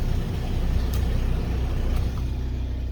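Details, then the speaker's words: Class C RV generator after fixing a power wire wrongly connected to the negative battery post: even, steady low drone with no misses or surging while powering the microwave and air and charging the batteries; normal running. "and I don't know if you can hear it or not, but the old gen cranks up. We have power on the microwave. The air does work."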